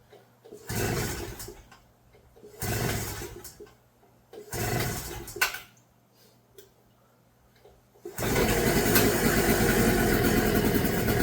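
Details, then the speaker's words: Pulsar 1200W portable generator, new out of box, started with choke fully closed: three pull attempts then buzzy high-revving engine catches and runs steadily with slight sputter, like a weed whacker; runs normally. "It almost sounds like a little weed whacker. It's not super quiet."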